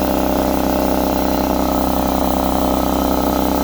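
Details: Husky C303H 30-gallon 170 psi air compressor that topped out near 40 psi, after valve plate/piston ring repair: steady, even piston chugging about three beats a second, no knocks or hiss, building pressure again; pump runs hot.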